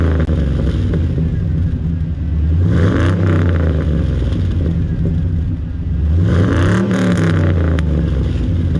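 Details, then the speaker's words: Luther after new exhaust work, revving: deep even note swells smoothly with two throttle blips and settles, no drone or slamming, much improved over the earlier door-slamming sound at about 2500 rpm under load; normal exhaust note. "so what do you think not too bad right I think it's much better than it was"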